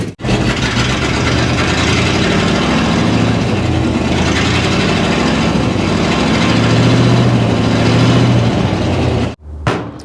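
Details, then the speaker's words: 1961 Chevy Apache, revived after 20 years parked in the desert: a low, lumpy idle with an uneven stumble and low vacuum, one cylinder missing. "it's got a miss, so it's probably a probably a plug. Really not a lot of vacuum on this thing."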